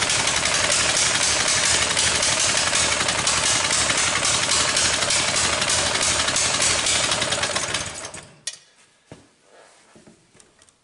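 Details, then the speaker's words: Coleman BT200X minibike after crash tip-over in mud, also won't return to idle; revs hard with sharp uneven pops through exhaust before shutting off; owner suspects valve issue, cause unconfirmed. "there's a lot of popping going on and I'm thinking I'm thinking might be a valve issue as well"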